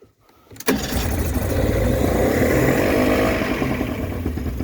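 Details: Mercury 40hp two-stroke outboard after a new impeller was fitted, with a little throttle: steady rapid cranking churn about four turns a second that never catches; cranks but will not start. It later idled with the choke on.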